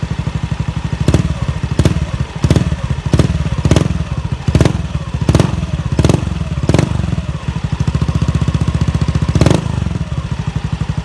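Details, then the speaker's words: Honda Beat FI scooter that stumbled at low and high revs, after fuel pump replacement giving 43 psi; even idle and clean pickup on about nine quick throttle blips, no hesitation; responsive again. "Oke, motor sudah responsif kembali."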